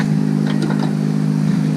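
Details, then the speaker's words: Abandoned 2007 BMW K1200GT motorcycle at idle; it has a fuel leak and dies once put in gear. A steady, even engine note with a smooth low drone and no knocks or misses; the engine sounds healthy at idle. "I know it runs the engine sounds good so we're going to call that a win no matter what"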